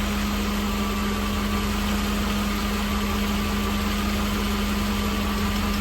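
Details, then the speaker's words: 1988 Mercedes-Benz 560 SL V8, 51,705 miles, cold start on a warm evening in the 80s; heard from inside the cabin with soft top, a quiet, smooth, even idle with no ticks or knocks. Normal idle. "it is just oh so quiet in here. No more road noise. Barely hear the engine running."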